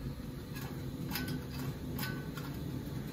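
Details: Honeywell zone valve on a boiler heating system, replacement for one stuck with its end switch closed that kept the boiler running nonstop: a few light, dry clicks over a low steady room hum as the motor drives it open and its switch closes; working normally.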